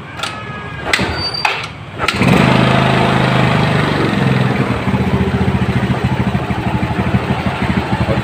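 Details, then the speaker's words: Yamaha Mio scooter after carburetor upgrade for fuel economy, throttle cable head ground smaller, test start: short crank, brief rev, then steady low putter; idle normal. "sepeda motornya di sini langsamnya normal ya."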